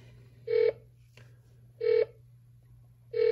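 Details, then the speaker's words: Amiko Mini satellite receiver beep feature tuned to 99 West C-band with no signal: slow single beeps about every 1.3 seconds over a faint hum, versus rapid beeps on a strong signal; slow beep, no satellite signal. "as I switched over to 99 West cband there's no signal the beep is much slower"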